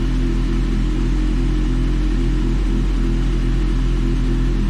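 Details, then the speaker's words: Kawasaki ZX6R after fuel pump replacement for a no-start (plugs, wiring, coils checked first), primed a few times: starts and runs with a deep, even rumble, no misses or stumbles; running cleanly. "prime it a few times before you yes she started and voila just like"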